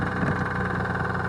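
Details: First start after rebuilding the 6G72 engine in a Dodge Stealth, no power steering or A/C belts fitted so only the crank spins; steady idle with a fast, even knock at crank speed, origin uncertain, owner suspects it still knocks.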